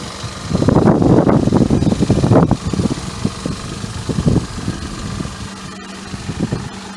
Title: 2000 Mazda MPV V6 exhaust leak and engine misfire